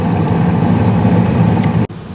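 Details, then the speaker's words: 2016 Carrier furnace, five years old, with blower speed raised from medium-low to medium-high for heat: a steady low whooshing rumble with no rattles or squeal that quiets as the panel goes on, though a bit louder than before; normal blower operation. "and this is how it sounds with the panel on now um it definitely does sound a little bit louder because of the higher blower speed"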